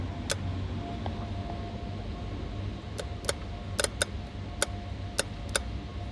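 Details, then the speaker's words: 2008 Mercedes CL63, 93k km, engine off: power steering solenoid fed 5 volts from a bench power supply, drawing about 1.1 A; sharp, crisp clicks at irregular intervals, about ten in six seconds; the solenoid clicks normally when energised. "When I touch it, you can hear the solenoid. I'm giving 5 volts by the way."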